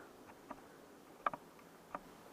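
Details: Two-year-old Samsung black stainless refrigerator: faint, irregular cricket-like chirps a few times a second over a quiet hum, which began about three weeks earlier; owner attributes it to a bad compressor bearing.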